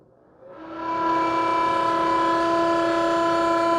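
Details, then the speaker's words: Bathroom exhaust fan after first WD-40 oiling of the bottom axle bearing; spins up into loud, steady, piercing squeal, still not fixed; owner suspects squeak above the bearing where plastic rubs; squealing exhaust fan. "Still sounds terrible. So the first round of oilings didn't really work."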